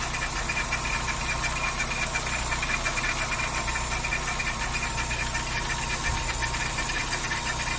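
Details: VW Saveiro G4 with AP 1.6 engine idling with the valve cover off; ticking knock about three times a second over steady idle, abnormal front-end knock; owner suspects the timing belt or pulley, unconfirmed.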